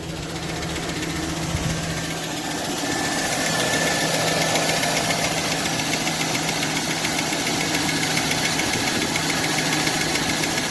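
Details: 2002 Chevy 2500 with 6.0L Vortec V8 at idle, oil pressure gauge fitted: light steady tick about three to four per second over the engine hum, with oil pressure around 15 psi.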